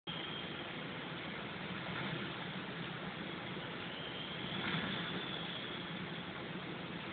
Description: Engine ticking Noise.